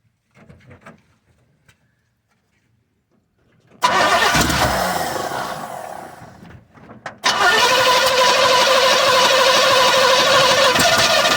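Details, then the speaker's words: 1966 Pontiac LeMans V8 cranks, catches and settles into a loud, raspy idle with sharp puffing from an exhaust header gasket that keeps blowing out at the side. "My header gasket keeps blowing out of the side. I don't know what's going on, but that's part of the issues I need to deal with. So, as you can hear, that thing's real loud."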